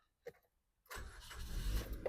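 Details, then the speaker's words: 2023 Maruti Ignis Sigma petrol, 50,000 on the odometer; quick crank, catches on first self-start and settles to a low steady rumble; no starting trouble; normal start. "ఒకటే సెల్ఫ్లో start అయిపోయింది. ఎలాంటి starting trouble అయితే లేదు."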